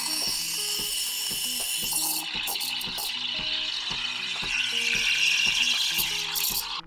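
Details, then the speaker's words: Sage/Breville espresso machine steam wand, tip just breaking the milk surface at the start of steaming: steady high tearing-paper hiss with clicks and music behind; normal, correct milk aeration. "start the milk steaming and at this point you should hear the hissing or ripping paper sound"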